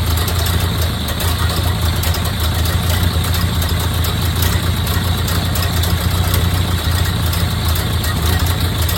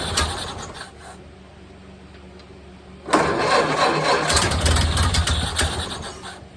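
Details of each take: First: 1929 Ford Model A Tudor rebuilt four-cylinder finally running after 40+ years sitting: low, steady, even idle with no knocks, misses or hunting; purring smoothly, healthy. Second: 1929 Ford Model A Tudor, rebuilt engine first start after 40+ years sitting, throttle lever not hooked up, choke in, idle adjusted by hand: weak uneven firing fades out, then a fresh start catches ragged; sputters and stalls.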